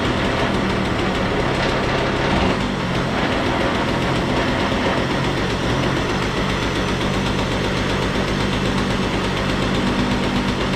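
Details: Stella two-stroke scooter after cleanup, with carburetor screw reset to 3.5 turns, oil-filled airbox cleaned and starter readjusted: steady, even buzzing idle with no misses or surging; normal idle.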